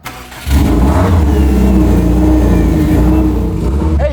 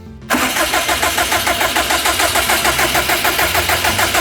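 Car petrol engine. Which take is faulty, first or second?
second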